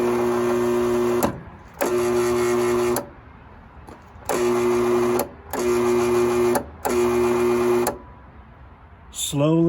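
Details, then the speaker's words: 20-year-old Bosch 4000 10-inch table saw, lightly used, motor suddenly began running slowly and backwards; after blowing out dust, several short low steady hums that never reach full speed; speed control board suspected faulty. "now i've seen people on the internet say that if it goes slowly and backwards it's this the motor speed control"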